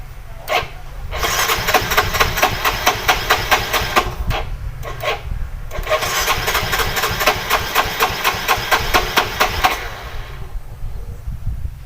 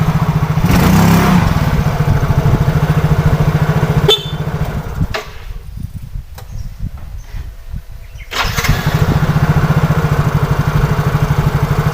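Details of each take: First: Yamaha Soul GT (Mio J/M3-type) fuel-injected scooter, owner complaint hard starting; battery charged/jumped, ignition on. Starter whirs in steady rapid pulses, about two a second, for long stretches but engine never catches; weak fuel pump starving it. Ignition checked next. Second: Yamaha Soul GT fuel-injected scooter after fixing fuel not reaching the injector and water in the tank, road test: even, steady single-cylinder beat easing off and picking up cleanly, no stumbling or misfire; hard starting and sputtering gone, normal running.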